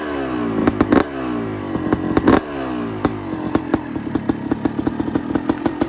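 Sharp crackling pops, first ragged, then settling into a quicker, even stutter as the two-stroke catches and idles; it sounds healthy.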